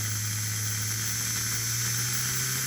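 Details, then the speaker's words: Rebuilt Flyer DC motor (armature polished, some cupping remains) in locomotive #2, throttle around 50 on a B4 transformer, off the vibrating table: smooth steady low hum with faint even hiss, no knocks or scraping; runs clean. "oh listen to that thing when you don't have it vibrating on the table it's just a"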